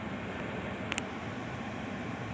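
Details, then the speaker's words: 2018 Kia Optima blower motor that only worked on high, after repair: heard at the vent on speeds two and three, a steady even rush of air with no ticking, rubbing or wobble; normal blower operation. "I don't know if you guys can hear it but I could feel it I'm on the vent right now put it to two now I'll put it to three"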